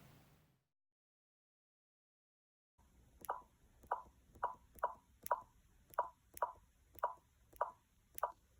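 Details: 2-month-old MacBook Pro (15-inch, 2019): after a silent start, the speakers give about ten sharp pops, roughly two per second.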